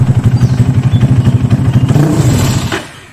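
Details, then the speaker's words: Carbureted motorcycle set up with a pilot jet that is too small: lumpy, uneven beat about four per second, then on opening the throttle it chokes and dies within a second, with backfiring typical of a too-small pilot jet; lean stall. "digas langsung mati atau dikasih kekecilan ya saya lagi kebanyakan lagi pulang ada nembak ya ciri khas kekecilan itu ada nembaknya juga"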